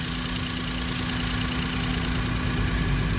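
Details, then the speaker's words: Maruti Suzuki Alto800 engine idling quietly after a full engine rebuild for a failed crankshaft bearing and connecting rod knock; the earlier heavy "kat kat" knocking is gone and it idles smoothly with an even hum and no bottom-end knock. "पहले engine का बहुत ही न नॉज आ रहा था cut cut cut cut कर कर जो हमारा कनेक्टिंग रोड था ना उसका अभी देखिए ठीक है एकदम साइलेंट है"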